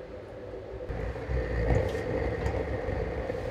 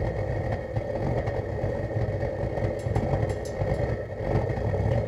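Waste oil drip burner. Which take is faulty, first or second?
second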